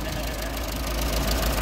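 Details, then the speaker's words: Ferguson TO20 tractor after gas-tank and left-front wheel-bearing repairs, fire-up with a car-type muffler: steady, even, quiet low putter at idle with no knocks or misfires. The engine fires right up and runs smoothly. "man that's just that's always exciting always exciting and it's so much quieter than mine I got to get a muffler for mine that one's got a good car muffler"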